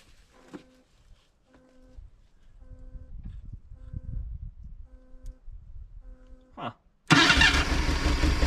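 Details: 1979 Datsun sitting about 30 years, low miles, HEI distributor, wiring being reconnected: slow, uneven cranking pulses with a brief catch that won't keep running; crank, no start.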